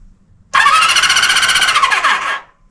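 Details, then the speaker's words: 1974 Honda CB350F four-cylinder, cranking on the starter while checking electrics; power at coils, spark not yet checked. Brisk, even whirring crank about two seconds, no drag or grinding; normal. "So, we know we got power at the coils. We know it cranks over. We don't know if it has spark."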